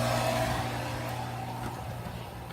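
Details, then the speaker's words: Well pump converted from 220V to run on 110-115V, pumping from a water bin: steady low clean hum fading slightly, smooth and even; normal running, owner unsure whether it will overheat but it seems fine. "main question this will overheat though alright seems to be doing good to me so I'm just happy it works on 110 115"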